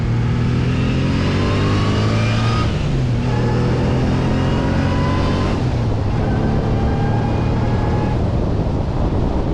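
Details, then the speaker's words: Supercharged Subaru Legacy (Eaton M90 blower, engine that loves high revs), accelerating hard: rising whine climbs through each gear, drops at every shift and builds again; boost arrives immediately, and the blower sounds healthy and sings at high revs. "but man in those High revs this thing just sings each time you bang through a gear that supercharger is like let me sing you the song of my"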